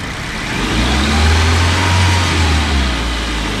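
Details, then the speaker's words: i10 four-cylinder petrol engine idling and blipped: uneven, lumpy beat with sudden stumbles and vibration as one cylinder misfires (engine missing). "इस बीच में ऐसा feel होता है यह के बीच अचानक साझा ले रही है कोई भी एक सिलेंडर है वह मीटिंग कर है तो इसको बोलते हम लोग मीटिंग है"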